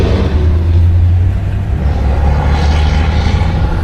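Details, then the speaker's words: 1967 Cadillac DeVille convertible, V8 with automatic transmission, accelerating to about 40 mph. A smooth, deep drone pulling steadily with no knock, miss or whine; plenty of power and smooth shifts. "Motor has plenty of power. Nice and smooth. Shifts are uh smooth."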